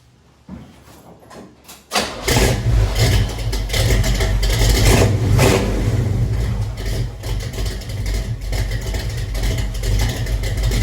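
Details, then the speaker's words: Chevelle V8 with true dual exhaust and no crossover: quick crank, catches at once, blips, then deep steady lopey burble at idle; owner dislikes a weird sound above 2000-2500 rpm he blames on missing crossover; normal start and idle. "It still sounds really badass at idle at least. Has a bit of that sound that I do not like."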